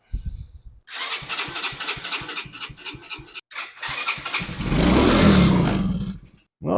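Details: Chinese engine on ACE go-kart, previously hotwired after lost key, carburetor partly cleaned, seized choke lever, no air filter fitted: few seconds of uneven putting, one brief rev, then dies; starts but won't keep running, faulty carburetor.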